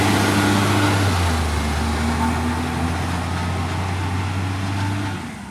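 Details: Acco garbage truck idling: deep steady diesel drone with quick regular puffing tick about three per second, typical of an exhaust leak.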